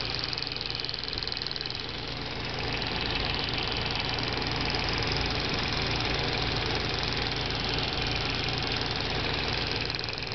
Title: Audi A4 B5 1.8t- Clicking Noise from Purge Valve